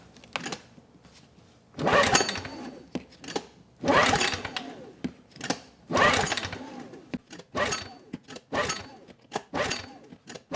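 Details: Honeywell HW2000i 2000 W inverter generator, cold next morning, choke and fuel on: several recoil pulls about every two seconds, quick whirr, no firing; cause was a spark plug gapped far too small.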